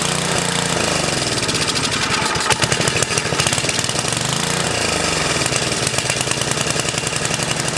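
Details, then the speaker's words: 10HP Tecumseh snowblower engine on its first run after sitting, about 50 pulls. At first it catches and dies from fuel delivery, then runs with fast, crisp, even single-cylinder popping once fuel reaches the carburetor. "oh sounds like fuel delivery get some gas and it dies fuel pump the fuel catches up so she'll start right up"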